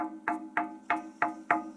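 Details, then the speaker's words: Pump pressure tank on a jet pump system, tapped by hand: six even, flat, identical thumps. The tank is waterlogged, full of water with no air cushion, and is being replaced. "You can also go to the tank itself and give the tank a little tap, and you'll hear like a thumping sound, and that means that the tank is waterlogged."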